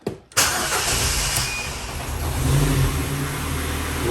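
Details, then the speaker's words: 2009 Ford Focus with CAN-bus U-codes (U1900, U2510 and others), immobilizer, ignition lock or cluster suspected, codes cleared, very low fuel: short crank catches into an uneven, wavering idle that settles after a second or two; cause unclear. "Oh, played up a little bit, innit? I know, I was wondering what that was for a minute, but there is no fuel in it"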